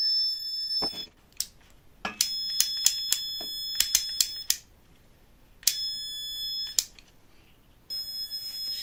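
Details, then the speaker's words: Multimeter damaged by connection to 220 V: shrill, steady buzzer sounding continuously as if in buzzer mode, broken by clicks; suspected multimeter buzzer stuck on. "マルチメーターのブザーが連続的に鳴ります。"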